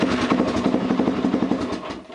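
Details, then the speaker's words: Honda 400EX ATV: starter whirs freely with a fast rattly buzz but the engine never catches, sometimes starting, sometimes just spinning; slipping starter clutch (one-way bearing, sprag) behind the cover. "so you can see how sometimes it starts and sometimes you just hear it spin like the starter just spin and nothing happens that's your starter clutch it's also known as the one-way bearing"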